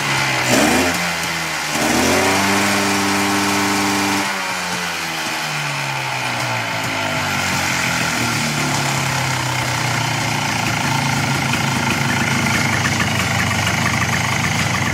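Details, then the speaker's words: 1995 Polaris Sportsman 4x4 two-stroke ATV left outdoors for years, first runs after oil added: rough popping settles into an even idle, pitch climbing cleanly with each throttle blip; rest seems okay; normal two-stroke idle and revving. "Sounds good though. Rest of it seems like it's okay."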